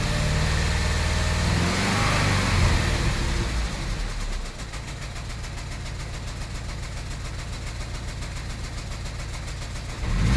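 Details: Intermittent misfire at idle: it starts rough and lumpy, then settles into an even, fast ticking beat around four per second. The owner suspects a misfire or valve issue, but the cause is unclear, and it runs okay afterward.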